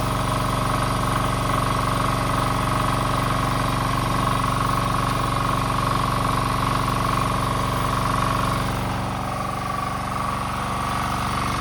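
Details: Diesel snowblower, electric-started on a fully charged 800 cold-cranking-amp battery (manual ratchet start also fitted): steady, even diesel chugging at idle with no knocks, misses or hunting; starts and runs normally.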